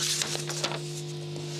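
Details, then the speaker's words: Fender Vibro-King guitar amp at high volume, tapping preamp tubes: each tap rings as a sharp ping through the speaker over mains hum; one tube is microphonic, picking up signal from the return jack. "so this tube's quit R microphonic and that's picking up the signal from the return Jack"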